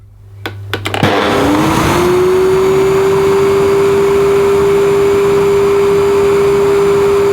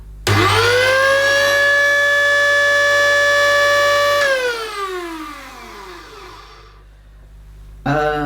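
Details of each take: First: Electrolux The Boss Super Lite compact upright vacuum on full 1400 W: motor spins up within a second to a steady, even high whine; strong suction, nearly 100 inches water lift on gauge, similar to Tristar DXL at maximum; normal full-power running. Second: Electrolux The Boss Super Lite upright vacuum, bought used and run without a filter: the motor spins up to a loud, steady, high whine, then winds down, not sounding right; the owner suspects the motor is clogged with debris, not confirmed.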